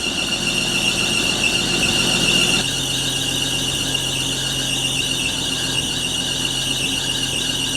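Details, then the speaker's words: 1980 Chevy C10 square body pickup, long-abandoned, running after the fuel line was put back together: steady high-pitched screech from the loose drive belt holds over the idling engine without letting up. Loose drive belt squeal. "so man that belt squeal is annoying ain't it it runs and it moves"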